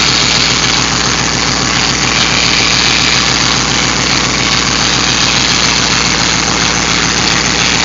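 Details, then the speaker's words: Hemi V8 just restarted after an aftermarket cam install: idle with a harsh, hissing whine riding over it. The power steering pump is whining because its fluid was drained, leaving it low and full of air; topping up with transmission fluid quieted it. "here sounds like this power Ste talk with making that noise yeah that's what it is I drained the power steering it's just whining isn't it"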